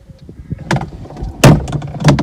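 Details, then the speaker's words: Audi A4 convertible with roof fault, rods reattached: scattered knocks as roof moves, then heavy thump and hard clunk near the end; roof mechanism binding, rods came off again. "ooh, that didn't sound very nice."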